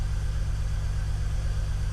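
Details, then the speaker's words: BMW E46 330Ci Clubsport with the M54 engine, off the road 7 years and fitted with a cone filter, first start with the MAF reading zero. Low idle with an uneven, stumbling pulse and missed beats: a misfire. "I think a low voltage to that EWS immobiliser will stop it from starting. It's definitely misfiring. You can probably hear"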